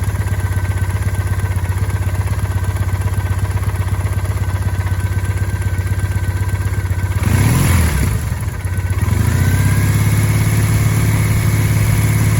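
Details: 2008 Triumph Bonneville, under 14,000 km: steady low idle with a faint regular tapping about four times a second, clearly heard at idle, disappearing in gear with clutch half released; dealer calls it normal, owner unsure, source unidentified.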